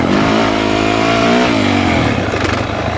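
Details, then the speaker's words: Dirt bike in second gear slowing into a corner, engine note falling, with a light rapid skipping patter from the rear tire. This is normal wheel chatter from correctly combined front and rear braking. "Wheel chatter happens when you do the perfect amount of rear and front brake together."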